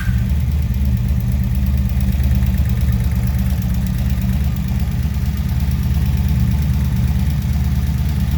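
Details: 1983 Honda Magna 750 V45 V4 after replacing head bent by broken valve adjustment screw: steady, even low idle, smooth unbroken rumble, no ticking or knocking; engine noise fixed.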